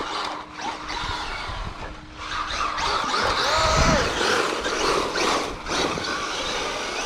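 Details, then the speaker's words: Traxxas Maxx Slash with VXL-6s system and 25-tooth pinion, first run outdoors on cold, slippery dirt: rising whine with each throttle blip, suspected drivetrain gear noise; owner considering a spur gear change. "that noise is horrendous though and yes I know some of the reasons why I've watched a few videos on it but I have my own fix for that"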